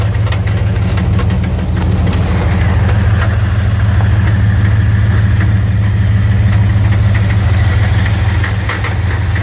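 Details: 1999 Dodge Ram 1500, 5.9 V8 with 4-speed automatic, idling in park: a light, fairly regular rattle about three per second that occurs only in park; owner suspects the flex plate or torque converter, not confirmed.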